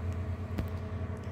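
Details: Old GE microwave run for a 1:23 test: a steady low hum with an even buzz and no change in pitch, so it runs and sounds normal, but it does not heat.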